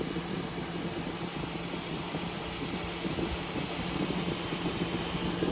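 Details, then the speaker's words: 2014 Mitsubishi Outlander with no A/C (blows warm air), running: steady whooshing radiator cooling fan switches on with the A/C regardless of engine temperature to cool the condenser. The fan works, but the compressor clutch won't engage despite 12 V at its plug. "when you turn your air conditioner on in your car that fan immediately will turn on regardless of engine temperature in order to blow air across the condenser on the front of the car"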